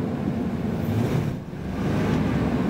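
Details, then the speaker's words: 1998 Ford F-150 supercab with new catalytic converters and exhaust manifolds: low, uneven idle that sags and stumbles before recovering. It is a miss at idle that the owner attributes to the plugs and wires, which still need replacing. "It does still have a little bit of a miss after all the work I put um all the new catalytic converters and all that stuff. It still needs plugs and wires."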